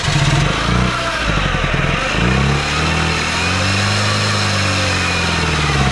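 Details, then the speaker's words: 1996 Oldsmobile Cutlass, first start after sitting long enough for wheels to rust, fuel fed externally as fuel pressure was uncertain: engine catches and holds a steady run, revs swelling and easing, no knocks or misses; runs as long as fuel is supplied. "she'll run as long as you do that"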